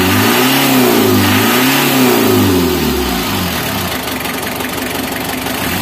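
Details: Mitsubishi L300 diesel, hot engine, with white, eye-stinging morning exhaust smoke (leaking injector suspected): revs up and settles back smoothly with an even, steady beat, no misfire or knock; smoke now cleared.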